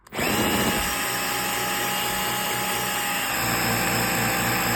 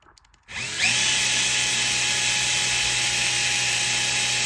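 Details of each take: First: Bosch GSR 12V-15 drill fitted with a new motor, running at full power with the case pressed together: the high whine drops and turns rougher, then stays low until cutoff. The motor drags and often smokes when assembled; cause unknown. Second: Bosch GSR 12V-15 drill with a newly installed motor, case off: quick spin-up to a smooth, steady high whine with no stutter, grinding or smoke; the new motor runs healthy.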